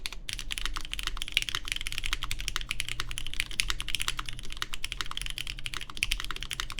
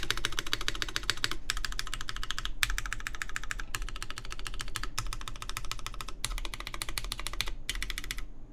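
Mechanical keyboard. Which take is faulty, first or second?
second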